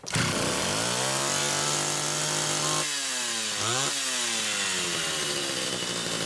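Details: Rebuilt Homelite Super XL SDC carburetor on a test saw with a Phelon electronic coil: crisp two-stroke revs up cleanly, drops back and picks up again without stumbling; the carburetor runs the saw properly.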